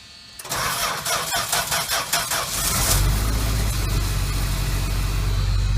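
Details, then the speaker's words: 1985 Dodge Ram D100 with 225 Slant 6 and Chrysler gear-reduction starter, cold start after sitting since yesterday, about 25°F overnight and under 40°F all day: quick whirring crank about four beats a second, catches into steady low idle; normal cold start. "So I'm gonna go ahead and start her up. Let's hear that Chrysler gear reduction starter."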